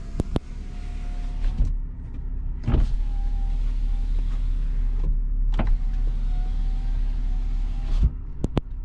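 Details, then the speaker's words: 2001 BMW E46 325i Coupe, manual. Power windows run auto up and down with a smooth, steady motor whine over full travel, ending in a clean stop. Normal power window operation. "heated seats work shifter shifts windows auto up and down"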